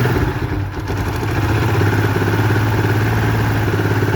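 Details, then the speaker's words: Motorcycle idling loud and rough with a fast, uneven clatter, noise suddenly louder while riding; cause a disconnected air injection hose, after others blamed the chain and a check valve. "سامعين صوت الموتور يا جماعة عامل ازاي؟ طبعا صاحب الموتوسيكل جالي وبيقول لي الموتور ده صوته بقى عالي زي ما حضراتكم سمعتوا كده."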